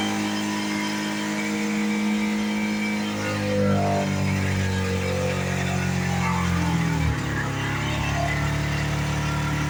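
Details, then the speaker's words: Worn engine in a 2010 Chevy Colorado, smoking and leaking oil, held at wide-open throttle to kill it before an LS swap: a strained, droning roar that never settles; worn engine run to death. "This thing just won't die. This thing will not die. Oh my god. That's to the floor though."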